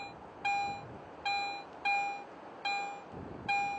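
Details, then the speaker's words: Garrett AT Pro metal detector in standard mode over two adjacent coins: each pass gives one clean mid-pitched beep with no split or double peak, so the two adjacent targets merge into one strong signal. "so listen to these adjacent coins in Pro mode you can clearly hear two separate peaks of audio response when I switch to standard mode these two targets are often heard as only one strong Target"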